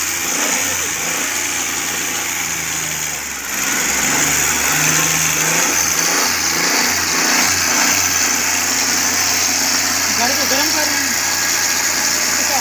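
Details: Suzuki Cultus carbureted petrol engine with misfire and stalling after 10–15 minutes warm, after fitting a new CDI and a Japanese ignition coil, being warmed up: a fairly even idle with a light blip of revs and no stumbling or misfire, normal idle.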